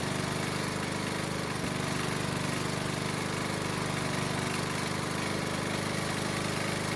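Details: Honda mower that wouldn't start in spring after proper winter storage, now running after the fix: steady, even single-cylinder putter at constant speed with no hunting or misses; healthy.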